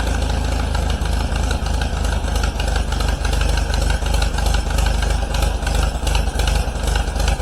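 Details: 1953 Allis Chalmers WD45 tractor after rebuild, with a new head gasket: an even, steady low thumping about three beats a second with no knocks or rattles. It runs well, though manifold studs and the head gasket leak coolant.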